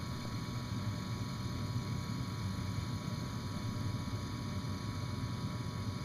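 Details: Bryant gas furnace that lit and then went out after a few seconds, heard just after the flame sensor was cleaned with steel wool and refitted: steady low rumble with smooth fan whir and no knocks; the inducer runs normally while the igniter heats.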